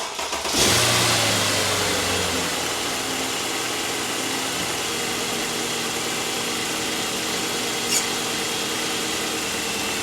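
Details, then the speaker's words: Mercedes M273 V8, 107,000 miles, cold start: harsh, high whirring bearing rasp over idle for about 50 seconds then stops; probably from the electric secondary air injection pump, not pulley bearings. "When I start it up, you can hear kind of a bearing noise for about 50 seconds or so, and then it goes away."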